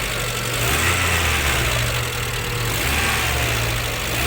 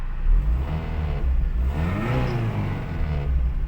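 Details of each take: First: 2009 petrol car engine at idle after a Liqui Moly additive and a short drive: a light, fairly regular tapping of the hydraulic lifters over the engine hum, noticeably quieter than before. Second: 2009 petrol engine after Liqui Moly hydraulic lifter additive and six hours of sitting: revs up and settles back evenly, lifter ticking almost gone.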